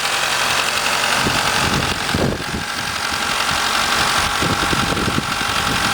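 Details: Mitsubishi 4G63 at 1300 rpm fast idle, alternator and power steering removed: uneven rattling chatter over the engine note; owner suspected silent shaft, actually a bad timing belt tensioner.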